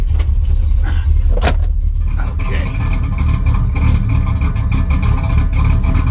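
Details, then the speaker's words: 1979 Pontiac Grand Prix with an aftermarket cam, started with carb cleaner: after a sharp start, a low, uneven, loping idle from heavy valve overlap; aggressive cam lope. "she's a runner definitely got a cabinet you can hear that overlap I like it I like it a lot"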